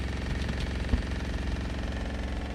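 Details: RV fresh water pump running constantly at low rpm with all faucets shut and no leaks; steady low buzzing motor drone without pauses; fresh tank overflowed on city water hookup; pump removed and replaced.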